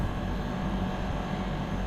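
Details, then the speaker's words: Split AC outdoor unit after the faulty high-amp compressor was replaced with a new one: steady, even low hum with fan whoosh and no knocking or rattle. Outdoor unit runs successfully while gas is charged slowly. "और outdoor भी अब पूरा successfully चल चुका है"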